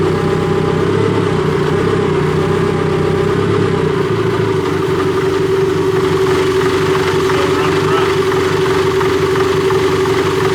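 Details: Cat D3K2 dozer diesel with complaint of rough running, power loss when pushing, bogging, fluctuating RPM and white smoke; no DPF soot codes: uneven, lumpy, wavering idle under a steady drone; running rough, mechanic suspects a plugged DPF, not confirmed.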